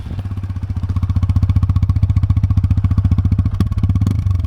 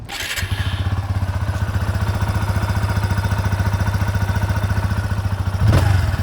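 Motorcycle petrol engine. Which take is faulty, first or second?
second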